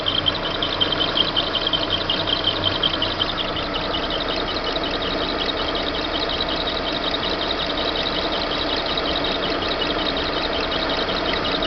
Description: Barulho irritante vindo d correia do motor do monza.